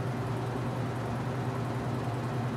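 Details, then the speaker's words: Washing machine, with a replaced motor, at full spin when cold: after a slow ramp-up it gives a steady, even low hum with no knocking or wobble; earlier squeaking came from rubbing hoses, and the tub bearing may be starting to go. "takes a little time to get up the speed it's cold I don't blame it I'm a little slow when I'm cold too but that's about full speed"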